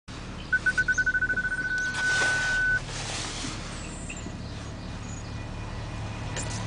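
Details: BMW 545 while driving; pulsing high squeal settles into a steady tone for about two seconds over low road rumble, brake squeal, cause unknown.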